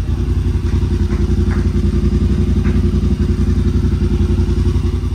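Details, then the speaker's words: Rmax UTV after tailgate rattle fix (securing the handle's hinge rods inside the tailgate, lubricated): steady engine running with even low thump, no rattle from the tailgate at idle or mid-RPM cruising. "just do something within that tailgate to keep those rods from flopping around you get rid of that annoying rattle that you hear especially at idol and those mid RPM ranges there cruising"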